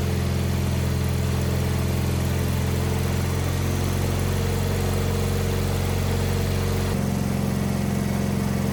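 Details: Wheel Horse 520H garden tractor pulled from a tree row, running on fresh gas from a can: even low thumping idle with a slight speed change near the end, runs steadily on its own without stalling; normal idle.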